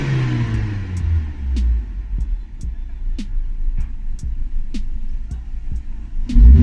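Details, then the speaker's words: Maruti Suzuki Ertiga factory CNG after replacing spark plugs and coils to fix a misfire: engine revs up, drops to a steady idle and picks up again cleanly and smoothly. "किस तरह से ये perfect कम कर रही है smoothly चलेगी pickup भी complete आएगा"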